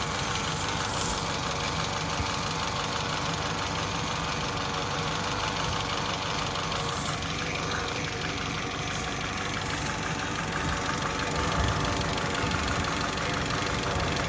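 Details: 2004 Saab 9-3 2.0t Aero at 300,000 km: steady idle with a loose, uneven clatter about three times a second; broken cam chain slide/guide, engine was replaced; timing chain guide failure rattle.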